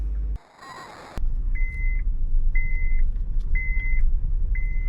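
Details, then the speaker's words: 2014 Honda Pilot with a swapped engine (original seized at 200,000 miles), smoking and possibly overheated, nearly every dash light on: four clear high beeps a second apart over low idle; warning chime, cause unknown. "pretty much every light here is on so um I think that's the Honda trying to tell me that there's something bad happening"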